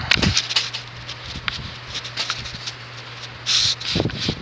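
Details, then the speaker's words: Casablanca Wailea ceiling fan from 2006 with wicker (rattan) blades, 153x20mm motor, 25-degree pitch, 31.25" span, on high: soft, even rush of air like a natural breeze over a low steady hum, no ticking or wobble; normal running. "Sounds like a gentle breeze, actually. Not gentle breeze, but sounds like a natural breeze."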